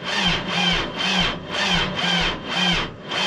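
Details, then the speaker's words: Tractor diesel with cold oil, cranked after glow plug preheat despite an oil pan heater: slow, labored cranking at about two strokes a second, each compression a heavy rub, never catching; owner blames the cold oil. "Oh, I don't think it's gonna do it. That oil's cold. I've got a heater on the oil pan, but it's just not doing it."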